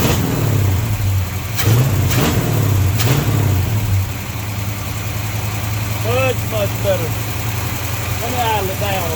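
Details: 1953 Chevy truck after a hose leak fix and reducing excess ignition timing: smooth, even idle with a steady low rumble and no misses. Runs cleanly, fast idle stuck on because the choke is not hooked up.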